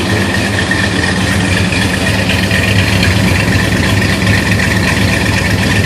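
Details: 1968 Plymouth Road Runner Chrysler big-block V8 with HEI distributor idling just after fitting new custom Fire Core spark plug wires (old MSD coil wire reused); fired right up, deep steady even idle, no misses, heard out back; exhaust manifold leak still audible.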